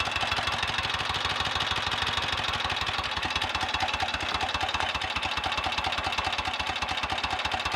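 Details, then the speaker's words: 1930 Royal Enfield Model K 1000cc V-twin after full engine rebuild, just back from first short test ride, oil pump on setting 2: even, loping beat about two to three pulses a second, crisp and regular with no knock; healthy idle. "Listen to that, that's music that is, isn't it? Well, I'm more than happy with that."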